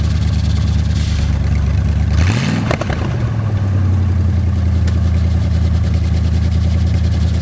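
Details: Plymouth Satellite revived after 35 years abandoned, car on blocks before being lowered to drive. Starter churns, then the engine catches and settles into a steady, even low rumble with no knocks or misses; it sounds healthy.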